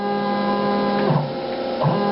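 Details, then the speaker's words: Stepper motor on a Gecko G540 drive being tuned by ear with a plastic screwdriver in the trim port: steady whiny hum with a fixed ringing pitch, swelling and easing as the trim is turned to find the quietest setting. "now here's the sound going down down my head and I want to move up should be able to hear how loud that gets"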